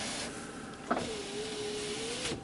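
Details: 2003 Chevy Silverado 1500HD with accessory faults on the front passenger door, window tested during scan-tool diagnosis: a clean click, a steady one-pitch motor hum for about 1.5 s, then a stop thunk; the window works normally.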